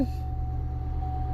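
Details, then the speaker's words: 2010 Chevrolet Camaro SS V8 just after a DIY fuel pump replacement: deep, steady burble with even low rumble, no misses or knocks; idling normally. "See, that's what it's supposed to do. Hot damn, boys."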